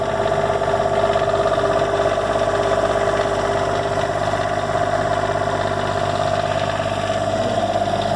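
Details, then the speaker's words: Diesel generator in 2004 Monaco Camelot motorhome, reinstalled and primed, preheat/glow plugs, repaired exhaust: steady even drone, constant pitch, no knocks or exhaust blowing, pretty quiet; normal idle. "It's got this preheat and button where I think it primes it with fuel and heats the glow plugs, and then it starts after 20-30 seconds. Pretty quiet."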